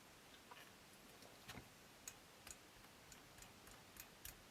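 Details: 1976 Astor MF029 flip clock radio after motor lubrication: quiet, steady light ticking from the gear train about every half second as the clock motor runs; normal gear train ticking.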